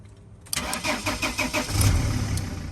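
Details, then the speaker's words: 2000-2006 T1N Sprinter (Dodge/Mercedes/Freightliner) no-start check: one sharp click from the start relay under the seat, then about two seconds of even, rhythmic cranking. Starter and relay working normally. "If you don't get those clicks, first thing to try, make sure you're in park, maybe put it in neutral and try"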